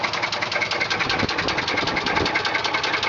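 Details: 1995 Chevy Silverado 4.3 Vortec V6 at idle: loud sharp knocks, about two to three a second; cause unknown, battery also keeps discharging.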